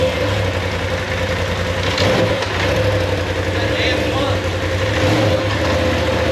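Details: 2019 Polaris XP Turbo, about 5,500 miles, first start after engine rebuild following a crank bearing failure: settles into steady idle with a couple of light blips, no knocking or rattles; runs clean.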